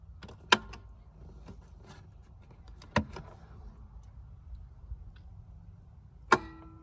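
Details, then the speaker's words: 1999 Four Winds 33SL 34 ft motorhome, Ford F53 V10 Triton: relay in the engine-compartment battery control center clicks on and off about every three seconds when a harness is plugged in; house batteries drain, slide fails; cause not yet found. "it's definitely something with obviously this harness here that's causing this relay to keep clicking behind here but i just can't figure out what it is"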